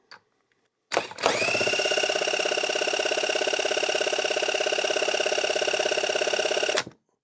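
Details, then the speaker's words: 1999 Kawasaki KX125 two-stroke, engine bottom end during overhaul after long storage, crankshaft spun by drill at about 1500 RPM (roughly idle); steady even whir, no knocks, scrapes or tight spots: bottom end spins freely. "So just to give you an example here, I'm going to throw my drill on the crankshaft and spin this thing up. Maximum speed on this drill is 1500 RPM. That's basically going to be an idle for this thing."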